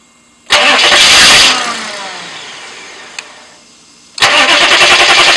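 A second of fast starter whirring, then a fading tail and silence, then cranking again; the engine doesn't fire up and run.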